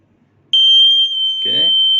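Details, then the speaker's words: Buzzer driven from a 5 V microcontroller-style output, switching on and off every 2 seconds: clean, steady high-pitched tone holding evenly; buzzer sounds normally. "You can hear the buzzer is turning on and off for 2 seconds, and on for 2 seconds, and off for 2 seconds, Okay."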